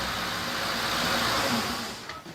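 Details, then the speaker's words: Ford Crown Victoria 4.6L 2V V8 (wife's car): loud harsh metallic rattle at startup fading within about two seconds as oil pressure builds; identified as the timing chain. "You heard that noise there. I'm going to play it back again for you. That is the timing chain."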